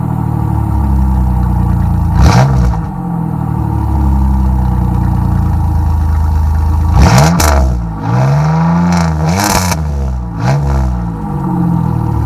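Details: 1997 Chevy Camaro RS, 3.8L 3800 Series II V6, Cherry Bomb Turbo muffler with new turned-down tailpipe: a deep, even exhaust note through several throttle blips, no boom or drone; outside level barely changed, interior drone gone.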